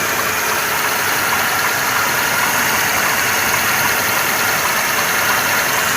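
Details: 2.2 engine (111 motor) at idle with a fast, light metallic ticking over a thin hissy engine note; knock of unclear cause.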